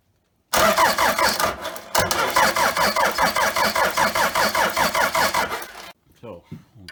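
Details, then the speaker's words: Toyota 3B 3.4 L naturally aspirated diesel, off-vehicle after sitting six to seven years, hand-primed fuel on battery charger: steady cranking chug about 2.5 compressions per second, won't fire, black smoke puffs; air in fuel suspected. "she was thinking about it we're seeing some puffs of black smoke so we are definitely close"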